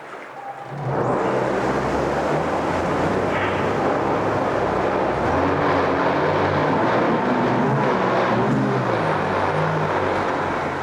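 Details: 2014 Yamaha 70hp 20-inch remote outboard with about 1,500 hours runs steadily in forward gear in a test tank; the light rattle heard is the tank, not the engine.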